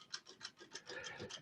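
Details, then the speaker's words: Studer-Revox open-reel tape recorder, power off, hub turned by hand ("Studer click" test): light, rapid, evenly spaced crisp clicks from the abrasive brake drum and smooth band gripping, supply spool also moving; brakes working properly. "But if you can hear that click, that is the brake mechanism, the rough drum, the abrasive drum with the smooth brake band around it gripping."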